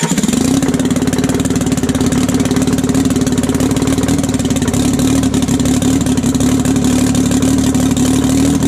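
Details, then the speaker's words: 1968 Detroit Diesel 3-53T three-cylinder two-stroke, freshly overhauled, first run stone cold (engine about 4.5°C/40°F, outside -3°C): fast, steady, even idle, no knocks or misses; good oil pressure, no leaks; running healthy. "oh she runs pretty good guys no leaks and uh pretty well that's all i'm gonna run it it it's still stone cold but uh got really good oil pressure"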